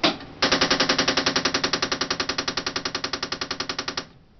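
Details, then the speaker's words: Canon Pixma MP780 inkjet printer after reset, flashing in-use memory and alarm: loud machine-gun clicks at about ten a second from the rear paper feed mechanism on the right side. "Okay, there's the noise. It seems to be coming from the uh rear paper feed assembly mechanism on the far right hand side."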